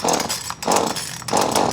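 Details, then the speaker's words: Shindaiwa 251TSN 25cc top-handle chainsaw, cold start on choke: three short rough bursts about half a second apart as it catches; that first pop means turn the choke off or it will flood. "So when you hear that thing pop, turn the choke off or you're gonna flood that MF, you know?"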